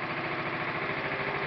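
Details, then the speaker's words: Briggs & Stratton engine with no gasoline, running on Brown's gas (HHO): quick, evenly spaced firing at a steady idle, smooth, and it stops when the gas is removed. "runs nice and [Applause] smooth and when we take the gas away it stops"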